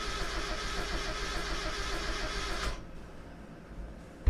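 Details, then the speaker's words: Drift project car, crank test with tach lead on injector signal: steady starter whirr under three seconds with no firing, no injector pulse or fuel spray; crank-no-start traced to a bad relay. "I don't think we got any uh fuel spray. Yeah, can't really tell."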